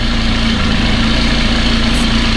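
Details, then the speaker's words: 2018 McLaren 570S with check engine light on, idling slightly rough over a deep exhaust drone; codes for misfire, knock, and intake bank 2 and exhaust bank 1 camshaft offsets point to faulty cam phasers. "Of course, the engine light is on, and engine little bit working rough, right?"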